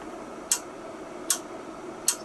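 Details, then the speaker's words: Icom IC-R8500 receiver during repair: sharp relay clicks about every 0.8 seconds over faint hiss, unprompted and new, from relays routing the signal path below or above 1025 MHz. "and it's clicking it didn't do that before if you could hear that clicking that's the relays in wherever they are which Roots the path the signal whether it's below 1025 or above it"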